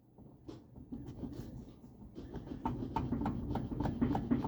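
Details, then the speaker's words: MG Midget converted to electric, after new motor install: quick hollow clunks, three or four a second, as a loose wheel is rocked; play felt on both sides, both wheel bearings worn out and needing replacement. "Hear that clunking? This side and this side. I can feel the play. Both wheel bearings are shot, so I have to fix those."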